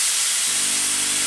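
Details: Steady, even hiss of steam, then a low pump hum as the pump primes water into the pressure vessel, on a Braun steam generator iron unused for about ten years and suspected limescale-blocked; it now works normally.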